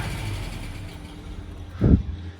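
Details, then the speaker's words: Lancia Flavia classic sports car after carburetor jet adjustment: starts on key without pumping the pedal, soft even low idle with steady rumble, one brief bump but no miss or knock; normal idle. "look I don't even need to uh pump the pedal just turn the key and she starts right up and it sounds nice and smooth"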